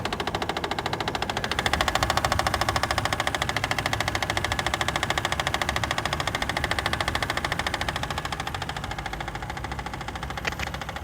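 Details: Toyota 2JZ engine at steady idle with a sharp, evenly spaced metallic knock, about two per second and very regular. Cause unknown. Engine knock.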